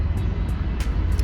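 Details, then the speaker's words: Mercedes C220 CDI W203 diesel, after a new turbo boost-pressure sensor was fitted for power loss, black smoke and fault code 2359, warmed a few minutes and blipped to check the sensor reads pressure; revs cleanly with no flat spots or whistle and no fault codes. "हमने इसे कुछ मिनटों के लिए छोड़ दिया है यह देखने के लिए कुछ त्वरण कि क्या टर्बो सेंसर दबाव को सही ढंग से उठाता है।"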